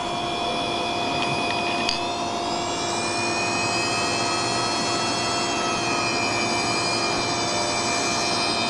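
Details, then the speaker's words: Hard disk drive with a finger run across the square microchip's pins on its circuit board. A high, thin whine climbs in pitch and holds as the motor overspeeds; the head can bang against the motor part. "you just run it across and then it speeds up the motor and sometimes makes the head bang against the the motor part so this is what happens"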